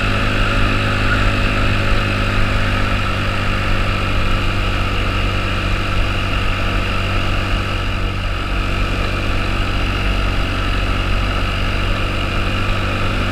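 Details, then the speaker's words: 2009 Honda Metropolitan scooter after carburetor cleaning and fuel system repairs, plunger sanded and silicone-sprayed: steady, even engine drone with no knocks or misses; running cleanly before road test. "So let's go ahead and fire it up and see how she does. Now you sound pretty good. I think we should take it out for a test drive."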